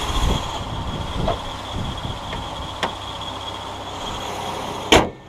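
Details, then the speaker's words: 2005 Ford Escape idling after a fuel filter install: low, even hum with no misses or knocks, and a door clunk at the end. No fuel leak, the warning light is off, and it runs great; it may need spark plugs. "But it sounds like it runs good, as you can hear."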